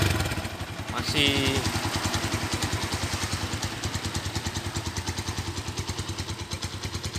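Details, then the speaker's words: Standard 2012 Honda Tiger Revo, long unused: single-cylinder idle with quick even ticking ("tek tek") beat, then revs cleanly and drops back smoothly; normal revving. "Galak banget, suaranya masih ada tek tek tek tek tek."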